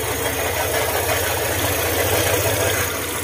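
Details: Honda ADV150 idling with seat removed: light, uneven top-end knocking over the engine beat, "crak crak"; another shop blamed the crankshaft, tensioner checked, found to be camshaft knock, not crank bearing.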